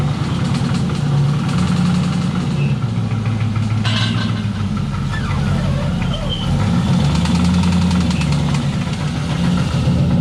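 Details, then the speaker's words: LS-swapped BMW E36 with the original 4.8L that failed while drifting, metal shavings on the dipstick: a rough V8 idle with a fast repeating metallic knock; rod knock is suspected, though the owner says it sounds like top end. "you could i'm sure you could kind of hear the noises going on there from that video of you pulling in but doesn't sound good i'll be honest definitely sounds sort of like the top end"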